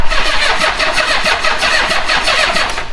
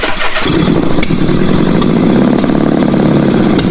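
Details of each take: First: Old Honda Goldwing after the plugs were cleaned and the timing belt was checked: rapid cranking pulses with short ragged catches that never settle into a run, apparently firing only on leftover starting fluid (owner's suspicion). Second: Old Honda Goldwing with four carbs, now actually running on gasoline after some backfiring: it settles into a steady, even idle with no misfire rhythm, running cleanly.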